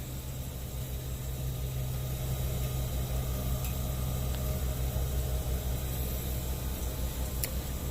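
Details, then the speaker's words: Walk-in freezer on a late-night service call, just out of defrost: low steady hum holding constant as the evaporator fans spin normally. "sounds like we just came out of defrost there's our fans of spinning scared the poop right out of me there for a second"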